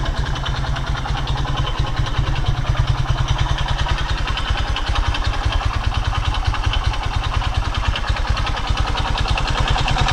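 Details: Skymoto Pegas 110 motorcycle, 13,000 km: steady idle with a hard, even knock on every beat, about three a second, deep in the bottom end; suspected connecting rod knock.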